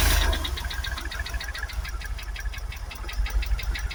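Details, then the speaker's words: Jaguar XKR supercharged V8 on a cold start, mic close to the top end near the supercharger: sharp even metallic ticking over a rough idle with a misfire. Suspected failed supercharger or timing chain, cause not yet found. "It starts up nicely now. Still got the misfire. But I'll take you to the knocking. It's in here."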